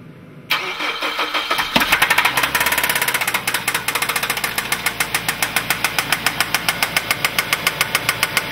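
After it cranks and catches, a sharp regular knock of about five or six a second rides over the idle; engine knock, cause unknown.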